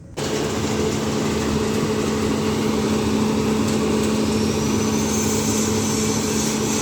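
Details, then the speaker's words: Showcase/display fridge that would not cool, after replacing the fan with a modified substitute fan (two AC wires): steady constant fan-motor hum with no scraping or wobble; fan spinning freely, normal operation restored. "Nah ini teman-teman ya, ini setelah terpasang ini sudah normal kembali teman-teman ya. Ini kipasnya sudah berputar, coba dengar ya."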